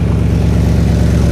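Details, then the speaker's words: 1964 Chevrolet Biscayne with a mild, streetable small-cam engine, four-barrel carb and glass pack mufflers, just refilled with 5 quarts of Valvoline. Idles with a deep, even, old-school exhaust burble and no knocks or misses; normal idle. "does give a nice sound out the exhaust it's very old school as I would call it"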